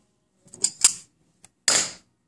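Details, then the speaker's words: Evinrude outboard power trim that sometimes won't raise or lower the motor: light clicks, then a short sharp hiss of about a third of a second as the bleeder is backed off and trapped air vents. Air is sucked in at the shaft. "but anyway when you back that off that lets the air pressure out because it's sucking it from right here"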